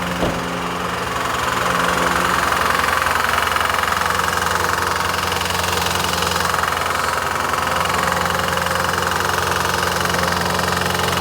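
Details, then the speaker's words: 2018 Jaguar F-Type SVR 5.0 supercharged, flood-damaged Cat N non-runner: heavy, rapid, even mechanical knocking over rough idle; driver's side sounds okay, knock from passenger-side bank, maybe one or two cylinders; owner suspects slightly bent conrod. "this side sounds okay it's this side this this bank I'm I'm now gutted now what an absolute roller coaster that was"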